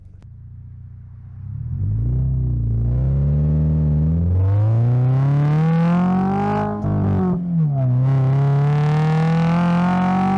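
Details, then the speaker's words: 2025 Toyota GR86 with HKS Hi-Power single-exit exhaust and JDL front pipe plus overpipe, after fixing a leak from a wrong donut gasket: deep, even exhaust rumble through several rev blips, with no puffing or ticking. Healthy exhaust, no leak. "So, this is definitely a huge difference when there is no exhaust leak."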